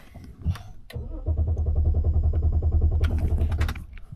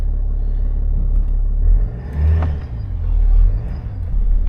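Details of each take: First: BMW X5 showing current fuel pressure control and fuel pump faults: after revving it died, now steady starter cranking for several seconds without catching; crank, no-start. Injector cylinder 6 activation current seen; mechanic suspects that injector, unconfirmed. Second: BMW X5 diesel, revisited after an earlier diagnosis and repair, with air finally bled from the system: steady low idle rumble in gear with no stumble or stall. Running properly now, confirming the diagnosis.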